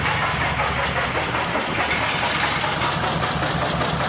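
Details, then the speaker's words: VW Beetle (Fusca) with a freshly rebuilt air-cooled engine, idling while warming up: a loud rapid knocking beat over a harsh clatter, with new vibration at the top of the engine; the cause of the knock is not yet found. "Deixa eu ligar aqui que eu vou mostrar para vocês o barulho já dá para ver gente já de dentro do carro de tão alto que tá o barulho"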